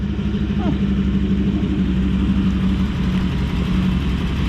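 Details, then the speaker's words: Toyota LN106 Hilux with 1UZ V8 swap, first start after replacing injector, coil and other connectors: steady smooth V8 idle burble, no misses, ticks or hunting. "so just fired up for the first time since it's had this work done and other stuff look nice and smart subtle instead of being hard as a rock"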